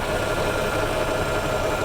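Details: 1987 Jeep YJ with carbureted 4.2 L AMC inline six, sat at least 7 years, first start on old fuel with a failed accelerator pump: steady, even idle with constant hum, no knocks or misses; settles and runs smoothly.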